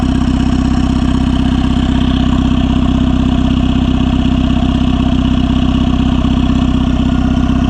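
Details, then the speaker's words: Turbo Honda Civic (R18 turbo kit), heard at the open crankcase vent; even idle with regular chuffing pulse about four times a second from the breather, crankcase movement and venting audible, runs smoothly; normal idle with crankcase breather venting. "You can hear the engine. I can really hear that engine crankcase movement and venting."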